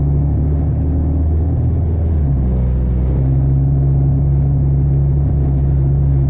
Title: Honda Civic rough noise & vibration